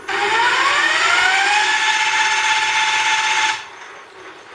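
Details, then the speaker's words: Geared hub motor on an electric bike with its factory planetary gears, before the gear upgrade, frame lifted and spinning free with no load: a clean gear whine that climbs in pitch, then settles and cuts off, with no rubbing or tapping against the bell housing. "And that's what it sounded like before with just the factory gears."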